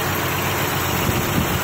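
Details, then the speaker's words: 2001 Honda Accord 3.0 V6 that still idled rough at stops after many parts were replaced: steady idle with an uneven, lumpy beat. One fuel injector does not tick on a stethoscope, so it is the misfire cause. "we already listened to that injector with a stethoscope and it was not ticking all the other ones ticked but that one does not tick so we know that that injector is the problem"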